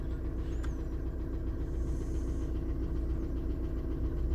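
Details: Steady, even diesel clatter at warm idle from a 2000 Jetta TDI just reassembled after head install with a used piston and rod and new glow plugs, before timing check with VCDS-lite; low constant rumble, no misses or knocks; healthy idle.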